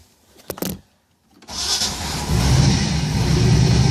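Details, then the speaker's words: Engine running off its own tank: a couple of quick cranks, a pause, then it catches cleanly and settles into a steady, rising rumble; it starts and works correctly, with all gauges working. "you see the engine started up working correctly"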